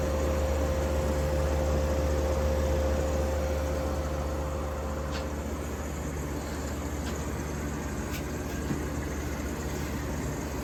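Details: 1953 Fedders Weather Bureau window air conditioner with a Tecumseh S compressor, after service, drawing 6 amps and 488 watts. Steady, unbroken low drone, no knocking or rattle. Evaporator is freezing cold and fully sweated, so still fully charged. Normal running.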